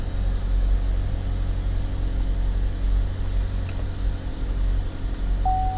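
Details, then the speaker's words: Front-end-damaged salvage auction vehicle with split radiator and condenser, starting right up: even low engine rumble at steady idle with no knocks or stumbles; runs good. "won't hurt to attempt to start it up I mean it starts right up she runs good"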